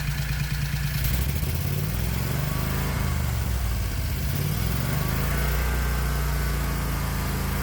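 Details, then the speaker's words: 1969 Renault R10, air-cooled 670cc Predator, new dual 24mm OKO carbs, AFR high 10s: throttle blip rises and falls cleanly, no stumble or pop; good response though still a little rich. "not bad not bad at all it's still a little bit rich but I think we can definitely take the car out for a test ride now"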